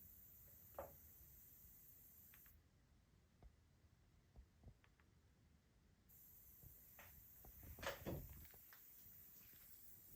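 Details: Sony A80K TV (2022) used with an HT-A7000 system in Acoustic Center Sync mode: a faint, steady high-pitched hiss from the TV speaker, briefly cutting out, under scattered room clicks.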